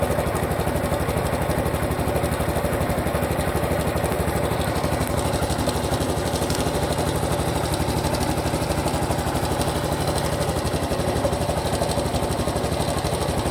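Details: Honda Super Cub Pro engine at idle after an oil change meant to cure the noise: light regular tick about three times a second over the exhaust beat; abnormal engine noise persists, cause unclear.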